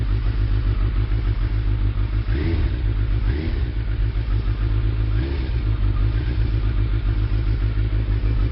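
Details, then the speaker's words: Suzuki Hayabusa after new spark plugs, cold start with choke pushed in: steady idle just over 1,000 rpm, even firing with no misses or knocks, motor sounding much better; normal cold idle. "that's basically cold start and I push the and the chokes right in so that's just over a th000 RPM and that's good to go"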